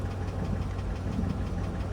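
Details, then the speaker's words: Chevrolet 5.3 V8 at idle, partly warmed: a faint, regular light tapping over the rumble. Described as a light knock, possibly piston slap; the engine was also noted to clatter on cold start and may burn oil. "a little bit of a knock there, and not a. I don't even want to call it a knock. It's almost like piston slap or something, but."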